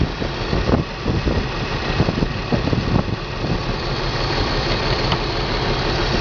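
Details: BMW 325 M54 every-morning cold start: uneven idle with stumbles and knocks for three seconds then steadier, misfire codes on cylinders 3 and 5, sometimes 4; CCV, plugs, coils, fuel filter replaced, injectors cleaned; stops when warm.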